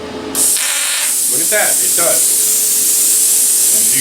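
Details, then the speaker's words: Cheap eBay pilot-arc plasma cutter set to about 40 A at 50 psi air: sharp crackle as the arc strikes, then a steady strong air hiss continuing after the cut; normal post-flow cooling the tip. "it turns on the air and then it runs the air for a few seconds after the cut so that it doesn't uh to cool the tip off afterwards"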